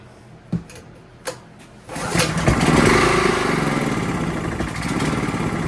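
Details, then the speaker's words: Honda GX270, bottle-fed, after valve clearance adjustment, spark plug not fully tightened: a few starter pulls, then catches and settles into a smooth, even, steady beat, smoother and quieter than before; normal running. "Well, that sounds fantastic. I didn't think it sounded bad before, but it definitely seems a little smoother, a little quieter."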